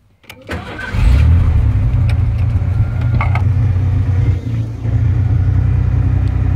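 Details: Ford F150 2WD work truck with a new starter, battery, radiator, plugs, wires and distributor cap and fresh oil; it still needs an ignition switch. Short crank, catches within a second, then a steady, even low rumble with no knocks: a healthy start and idle.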